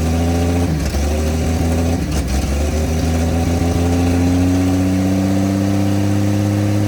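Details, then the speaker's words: 1954 Chevrolet inline six revived after sitting two decades, idling on open exhaust: smooth, even idle with a steady low hum and no misses, "a Swiss watch"; shut off because of fuel leaks. Normal idle. "you hear that that's a Swiss watch you don't hear those very often on this channel but that's what it sounds like"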